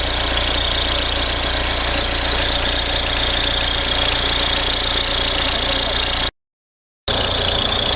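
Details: Audi A4 B6 1.9 TDI diesel at idle: a steady high whirr with fast light chatter riding over it from the belt drive, caused by a worn accessory belt tensioner.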